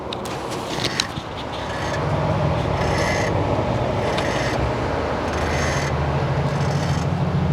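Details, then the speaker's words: Tesla Model X front suspension, car rocked while stationary: rubbery creak about once a second; owner suspects lower control arm bushing (top arm squeaked previously); common problem, aftermarket part planned. "This time it's the lower arm, I think."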